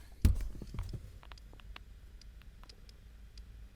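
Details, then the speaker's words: Hummer H3 with Monsoon amplified audio and a PAC RP3-GM11 adapter: faint, irregular ticks through the speakers over quiet hum, continuing with the RCA inputs disconnected, alongside alternator whine; the faulty adapter was later replaced by an Axxess GMOS-04. "just repeat that little clicking sound that's quite annoying and the clicking sound doesn't go away if I disconnect the audio"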